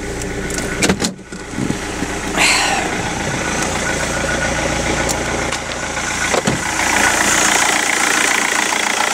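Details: Rover 75 CDT diesel after fuel system service, in park: turns over, catches after a couple of seconds and settles into a steady, even idle with no knocks or misses; normal idle.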